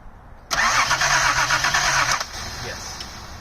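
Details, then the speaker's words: 1979 Datsun 280ZX after fuel injector replacement: steady cranking about two seconds that never fires, engine flooded with too much fuel; spark plugs replaced next. "All right, so we replace the spark plugs. See what luck we get this time. So, it had a lot of fuel in there cuz"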